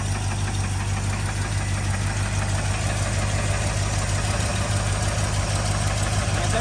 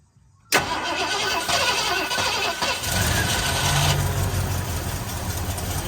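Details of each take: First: Ford Bronco V8 pulled from a front yard, fired up on fuel poured into the bowl, runs and idles better than the cars they drive: deep, steady burble, even low pulse, no knocks or misses; normal idle. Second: Ford Bronco that had sat in a front yard, cranked via hot-wired starter solenoid after a dose of rattle-can spray: silence, then a long rough crank that catches into an uneven, lumpy run; the engine fires but struggles to settle.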